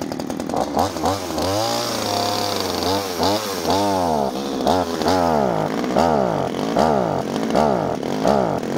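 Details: Subscriber's pruning chainsaw with flat-head carburettor adjusting screws, outdoors: small two-stroke revs up and sags back repeatedly, stumbling and bogging on acceleration; suspects the carb was tampered with, throttle plate open too far; high/low screws being adjusted.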